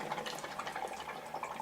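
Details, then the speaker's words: Cabin being winterized, water lines draining out through a hose outside, shower turned on: irregular gurgling splutter of air and water spitting from the shower head; normal line draining. "You can hear the water, the air going through the lines, but there's no water coming out over here because it's going out through that hose."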